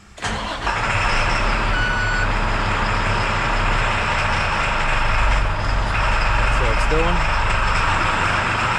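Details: International WorkStar diesel with suspected stuck-on exhaust brake: starts, then sits at a low, laboring idle around 500 rpm that won't rev up, scan tool showing 99.5% engine load; almost nothing coming out of the exhaust.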